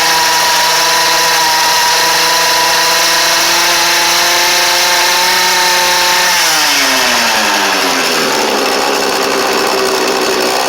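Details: Cheap small two-stroke edger, started with choke on: steady high buzz, then revs drop smoothly into an even, holding idle; runs clean.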